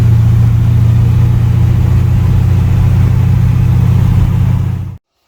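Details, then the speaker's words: Jesse's Chevy C20 truck with built 408 small block (built for boost, turbo planned), after roadside tune: steady deep even idle rumble, no misses or knocks until switched off; idling and running great. "all right the thing's idling and running great now so that's good right"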